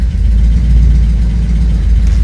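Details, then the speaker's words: 1986 Porsche 944 Turbo idling after it was started by shorting the crankshaft position sensor circuit with a test lamp: deep, steady low beat with no misses or knocks; engine settled and healthy. "Короче говоря, машина заводится, мы трогаемся с места без проблем."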